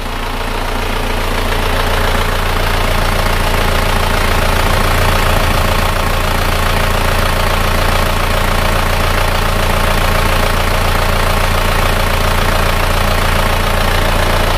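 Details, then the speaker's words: Isuzu Panther diesel (blue) after repair with all-new original liners, pistons and rings, idling cold before warm-up: even, steady clatter with no misses or knocks, soft and smooth; normal idle. "hidupnya rata suaranya empuk dan halus"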